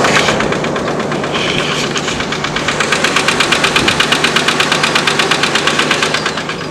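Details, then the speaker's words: Knocking from a red pickup truck's engine at idle, running in neutral: loud, sharp, regular metallic clatter at nearly three beats per second, pointing to a serious internal fault; the truck needs repair to be road ready. "i have two vehicles everyone this is one that's got to get fixed and you can hear why"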